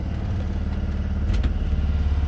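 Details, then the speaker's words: BMW Isetta single-cylinder, driving after brake rebuild (brakes pulling hard right): steady low chug with even beat, no knocks or rattles; little engine runs healthy. "runs great though okay that's a neat little car beautiful"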